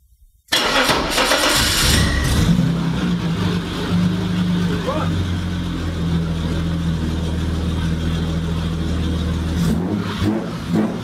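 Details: 1987 BMW 730i E32, which had a warm/rough-start issue, after replacing the impulse sensor. Short crank, then it catches cleanly and settles straight into a steady, even idle: starts properly now.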